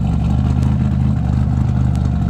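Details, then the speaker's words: Engine running after RJC V-band gaskets were installed to fix exhaust leaks: a deep, steady exhaust roar with an even beat and no ticking or puffing from the joints, normal running. "y'all can hear it she's roaring right you know she's okay you know she's all right"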